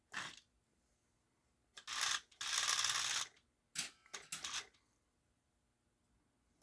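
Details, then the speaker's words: Lionel 6-12741 intermodal crane after repair: a knock caused by a cracked plastic helix gear catching the worm gear was fixed with a brass pinion gear (2741-325). Short bursts of light even gear whirr and clicking with no heavy knock, a normal gear drive. "notice there isn't a a big knock oops"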